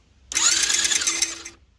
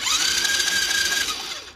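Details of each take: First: 110cc Chinese ATV during rebuild, engine spun over with stator on flywheel: short, high, scratchy whir with quick regular pulses as the stator scrapes the flywheel; paint used to locate the contact point; stator rubbing on flywheel. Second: Cheap Chinese 110cc ATV being rebuilt, cranking after fixing the stator that was hitting the flywheel: steady high starter whine rising then holding, with no scraping or rubbing; spins over clean and healthy.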